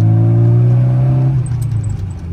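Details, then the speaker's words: 1995 Rover Mini Cooper 1.3 SPi with a newer center-exit exhaust, driving with the windows open: a deep, steady exhaust drone pulls cleanly under throttle, then eases off with some wind rush. Normal, healthy exhaust note under acceleration. "it sounds fantastic. Yeah, great car. The exhaust sounds awesome."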